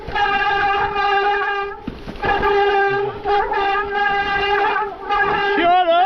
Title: Is this the most annoying noise #squealing #mtb #mtbfail